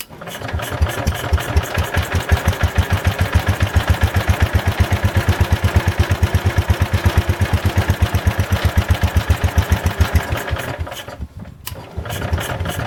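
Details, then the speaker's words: Old Kohler single-cylinder engine on a Ford Model 100 garden tractor (built by Jacobsen), first run, carburetor adjusted: even, quick steady thump, no misses or knocks; runs nicely after blowing carbon from exhaust at startup. "Well, this old Kohler runs pretty nice. I blew a little bit of carbon out of the exhaust when it first started, so I think a bunch of the stuff inside the engine loosened up and it got rid of it, so that was kind of nice."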